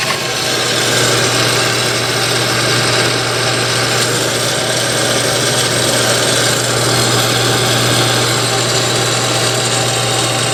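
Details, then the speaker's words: Napoleon NPS-40 pellet stove combustion blower fan running before replacement: steady motor hum under a loud, rough, gritty whir that never smooths out, from worn, failing blower motor bearings. "I'll turn it on right quick just so you can hear what it sounds like. Hear the crummy bearings in there."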